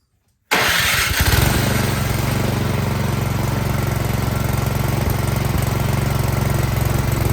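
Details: Troy-Bilt Storm 2660 26-inch snowblower that was surging badly, after carburetor cleaning, fully choked with the primer line unhooked: starts first try and settles into a steady, even run with no surging. Now runs great.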